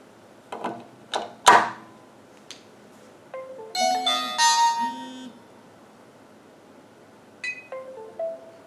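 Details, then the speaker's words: VeriPic 1 body-worn camera placed in its dock: short two-note electronic chime over a quiet room, the normal tone when the dock detects the camera before uploading its videos to the cloud. "The system automatically detects the camera and sends the videos up to the cloud and assigns the videos to the correct user based on the serial number of the camera."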